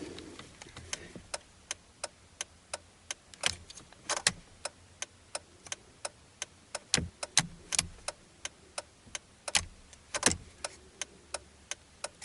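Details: Mitsubishi Magna/Verada indicator flasher relay under the dash, after disassembly and fix of a buzzing when indicating right: crisp, even clicks at about one and a half per second, quiet background; normal indicator flasher ticking.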